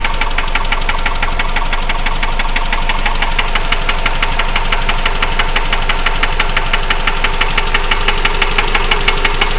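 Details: 2003 Mitsubishi Outlander XLS, DSM 2.4 petrol four-cylinder, idling with a steady, sharp knock about three times a second, clear over the engine; owner considers it time for a rebuild.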